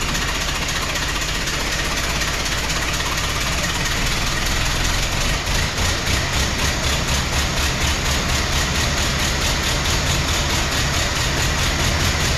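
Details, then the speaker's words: 1914 Ford Model T, rear wheel jacked, untouched before diagnosis: lumpy, uneven idle with loose pulsing beat about twice a second that never settles, running on perhaps two or three cylinders; cause unknown, ignition and compression to be checked. "2 cylinders even, perhaps 3, but it was running really rough."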